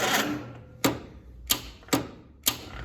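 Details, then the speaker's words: 1947 Willys CJ2A barn find, in neutral on jump pack and charger: slow, uneven cranking with sharp compression thumps under a second apart, engine tight and barely turning; weak battery, owner suspects a dead cell, starter also questioned. "She's not happy. All right. I don't know if we're fighting a dead battery with the jump pack. That thing should have just whirled over."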